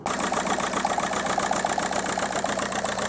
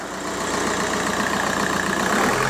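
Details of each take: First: 2002 VW Golf PD130 diesel at idle with an uneven rhythmic stumble, about two to three beats a second, before the injector loom was replaced. A code reader showed a cylinder 3 misfire and low injector voltage, which could be causing lack of power. The owner suspects a loose or disconnected plug. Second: 2002 VW Golf PD130 diesel after the injector loom was replaced. Revved up ("a bit of a ram"), the clatter rises smoothly and evenly with no misses or knocks; sounds healthy.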